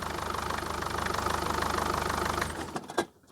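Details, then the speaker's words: Mercedes Vito 638 2.2 CDI diesel, manual gearbox, with strong vibration and shaking: a steady idle, then a heavy clunk at shutdown with the clutch out. It still knocks with the clutch pressed, pointing to a worn dual-mass flywheel or damper. "Слышите характерный стук? А теперь с выжатым сцеплением. Заведи, заглуши. Глуши. Все равно стучит."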